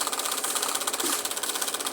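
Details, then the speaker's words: Fridge heavily iced up: rapid, even, high-pitched ticking and rattling; abnormal noise, owner unsure whether to switch it off, cause not found. "Ó, gente, tá com um barulho estranho ali, ó."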